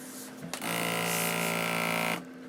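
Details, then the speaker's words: Krups The Sub home draught beer dispenser, just after the torp (keg) is installed and the cover closed: a steady low mechanical hum for about 1.5 seconds, then a clean stop. Normal torp pressure check. "Okay, so that noise was actually a pressure check of the torp, so that's a good thing."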